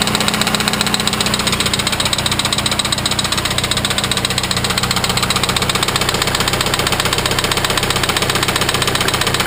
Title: Viggen Engine Knocking